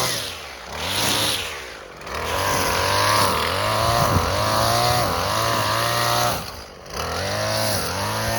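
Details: Husqvarna 128LD string trimmer, two-stroke on 2-cycle mix, after new carburetor, spark plug, fuel and air filters (before: barely ran, never off choke), cutting grass: high steady buzz, brief bog into grass then straight recovery; running clean, normal under load.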